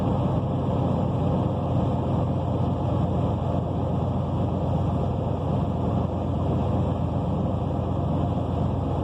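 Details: 1992 Buick Roadmaster Limited, 5.7L LT1 V8 with 700R4 automatic, cold start: deep, uneven idle rumble with a raw puffing edge from an exhaust leak.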